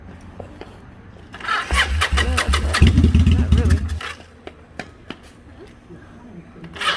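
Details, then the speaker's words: Vulcan 800 motorcycle, not started in a while, started with starting fluid and gas prime: quiet, then a ragged two-second burst of firing that quickly dies; it catches but won't keep running, sounding good when starting on its own. "boy y'all see this it was starting to crank on its own willpower this thing was sounding pretty good when it was starting on its own"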